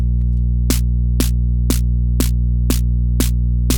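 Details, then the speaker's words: DIY Twin-T drum synth, snare/noise mixed output: loud steady 60Hz mains hum under drum triggers twice a second, present only in the noise circuit; source unknown, TL78L05 regulator not yet replaced. "trigger but there's that hum there's a really loud hum now even the noise works right"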